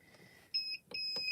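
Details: Gemini Foilpress heating platform set to medium after switching from high: clear high-pitched beeps, a couple of short chirps then a longer tone; platform signalling normally (beeping with "cool" means plate too hot).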